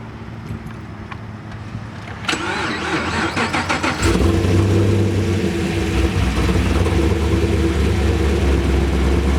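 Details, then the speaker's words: Cammed Camaro SS restarted after codes were reset, following a roadside stall with reduced engine power, StabiliTrak and check-engine lights and a fuel smell: brief crank, flare-up, then a steady, lumpy cam idle with no stumbles; owner suspects tune or injector failure. "It's fine. Huh? It's fine. Not a problem. Idling fine."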